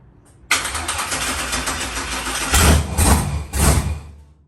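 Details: Rebuilt LS V8 in a Monte Carlo on first start, with some MAP sensors unhooked and loose battery terminals: slow, choppy crank, then it catches and picks up into a rough, unsettled idle with three quick throttle blips; still needs fine tuning.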